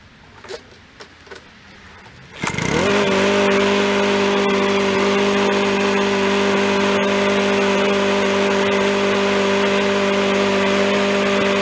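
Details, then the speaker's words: Free yard-sale Craftsman mower, about ten minutes after restarting with oil just above the high mark: a few taps, then a steady, even drone without misses or surging. It only burns off oil left on the contaminated muffler. Normal running. "that's about ten minutes later and it seems like it's pretty much good except for what like I said the muffler was gonna be contaminated"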